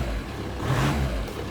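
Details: VW Caddy 1.9 SDi diesel, just reassembled after a no-throttle, limp-mode fault: a short blip of revs settles back smoothly. The throttle is answering normally, though the owner still plans to replace the TPS.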